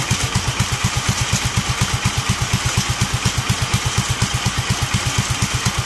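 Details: Duromax 18hp single-cylinder engine: even chug about eight beats a second, sagging low and close to stalling; it won't hold a proper idle.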